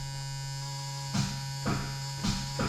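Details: Old car rescued from the crusher, after tightening a bad battery connection: steady electrical buzz with four short rough bursts but no cranking rhythm; starter not turning the engine, suspected poor connection or starter fault.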